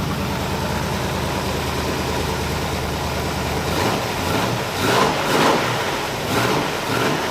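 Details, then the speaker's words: 1981 Oldsmobile Cutlass Supreme with swapped small-block V8, new headers, during cam break-in after starter fix: steady V8 idle, then clean throttle blips rising and settling with no misses; normal running and revving. "well any contaminants that may have been in there have now been shot out of the valve cover man that sounds good"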